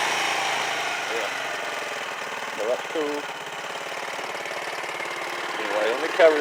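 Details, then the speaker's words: Quad ATV after its carburetor was cleaned and the idle circuit replaced: a quiet, even idle putter with a steady rhythm and no hunting, now running well. "but heck yeah now she's running like a [Applause]"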